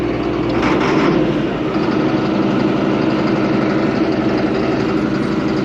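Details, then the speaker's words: Allis Chalmers 7580 tractor after replacing failed fuel pump with new Holley electric pump: smooth, even diesel rumble at idle with no misses, surging or stumbles, no leaks; running healthy. "check for leaks no leaks sounds good awesome so there we go uh new fuel pump on the 7580"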